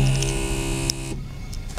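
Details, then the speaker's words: 2001 Toyota 4Runner coming to a stop, brake held steady extends it: steady electric buzz with low hum and high whine about a second, then cuts off; suspected ABS, no codes or ABS light, gradual stops sometimes avoid it. "if i if when i'm coming to a stop and i hold the break at the same place i can almost get it to keep going um so that time i was kind of i wasn't pushing the brake any harder i was kind of keeping it in the same place um and it will kind of extend the the buzz like that"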